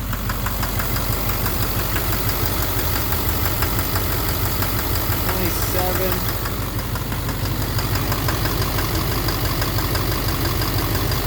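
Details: 2009 Silverado 3500 Duramax LMM diesel, 59,900 miles, cold-start morning, idling in neutral: regular knock about twice a second through rough idle, louder in gear; suspected engine/bottom end, injector or cracked flexplate considered, oil analysis clean; unconfirmed.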